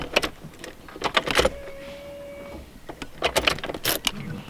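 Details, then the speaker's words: 1995 Ford Mustang GT with a new in-tank fuel pump: between key rattles a thin, steady hum lasts about a second and cuts off, priming normally to build line pressure. "I can hear damn that's a good sound is it that time yeah I'm just trying to build off pressure because none of the lines or anything have ya know"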